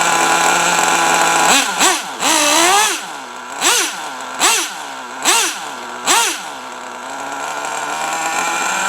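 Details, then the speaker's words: Traxxas T-Maxx 3.3 nitro RC truck cold-started on 20% nitro fuel after 8+ years in a shed, in cold rainy weather: crisp buzzing idle with clean quick blips, no stumbling; runs nearly perfect, like brand-new. "they start it up and it runs damn near perfect snow after spins all four tires"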